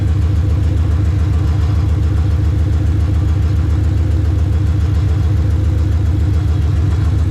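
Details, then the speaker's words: Coyote-swapped SN95 Mustang on the lift with newly welded exhaust: a deep, loud, choppy idle pulsing about 3.5 times a second. Owner fears an exhaust leak at the side of the heads, or hopes it is just low back pressure; unconfirmed. "you guys probably heard it it sounds like a big exhaust leak like almost like it's coming out of the side of the heads"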